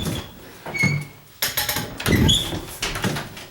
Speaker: that that's because in between the knuckles somewhere it's it's doing that it's not hitting the wood or anything